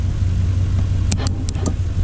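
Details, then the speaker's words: 2008 Suzuki SV650 with 10,000 miles, on a charged battery jumped from a truck. Low starter whir with clicks and no firing; it cranks only with the solenoid bypassed, so the starter solenoid is suspected. "that's a crank. All right, I think it is the starter solenoid."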